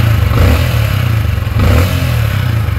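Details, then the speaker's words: Sniper 155 in neutral after hand-tightening the manual cam chain tensioner bolt: engine revs up and settles with smooth drone, no chain slap or rattle; timing chain quiet and properly tensioned. "So hand tight lang mga boss dito sa pagpasok ng bolt. So pag ganyan tahimik na rev nyo."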